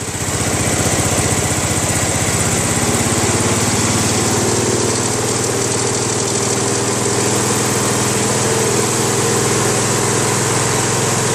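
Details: Craftsman LT1000 lawn tractor, 21 HP Briggs opposed twin, after governor adjustment at lowest throttle: even, steady low putter with no surging or hunting; smooth stable normal idle.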